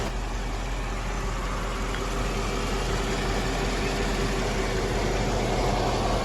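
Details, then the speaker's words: 2002 Mercedes CLK430 AMG petrol V8 after repairs for cylinder 3, 1 and 5 misfire codes: steady even low idle rumble, no stumble; a dry-rotted vacuum hose causing hissing still to fix. "But other than that, she sounds good."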